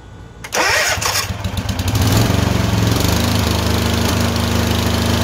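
Twin fires up and runs with a rough, uneven beat and slight hunting in speed, pointing to surging with intermittent misfire.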